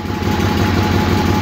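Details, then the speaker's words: Suburban garden tractor, either a 1968 Hydro Trac 12 or a c.1974 SS16, cold start on heavy choke: uneven chugging, stumbling and sagging as if about to die. It runs perfectly once it has idled on choke for about 30 seconds. "let her get wet and then she's fighting she wants to shut off but if you let it sit here in idle with the choke on for probably 30 seconds"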